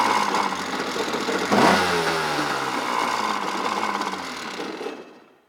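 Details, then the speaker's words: 1997 Yamaha Wave Blaster 2 (760) jet ski with a hole in the hull, being parted out: cranks and catches at once, then holds a steady buzzy two-stroke run before shutting down cleanly; the engine starts and runs fine. "It does start, it does run, it does drive around."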